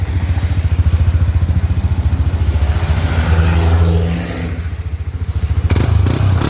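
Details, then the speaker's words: Yamaha Nmax scooter, 79,000 on the odometer, after top and bottom end rebuild with 60 mm oversize piston: even, quiet idle about three and a half beats a second, no knocks, revs normally, no engine light. "ก็ประมาณนี้เครื่องเงียบๆเร่งได้ปกติไม่มีไฟเครื่อง"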